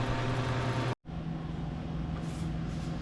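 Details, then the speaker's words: Old soda vending machine, about 1975-80, that is not cooling. A steady fan hum, a brief cut-out, then the fan runs alone with no compressor pickup. The compressor is locked up and grounds out, clicking as it tries to start; a new cooling deck is needed. "Now, what you're going to listen for is a little click in this piece. And that's where it grounds out because this thing is locked up. Uh that or it'll blow the fuse. Do you see it? So the fan comes on, compressor doesn't. And it'll cycle a couple times trying to start it, but no go."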